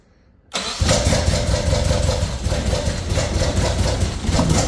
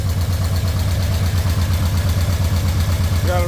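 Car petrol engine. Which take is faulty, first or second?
first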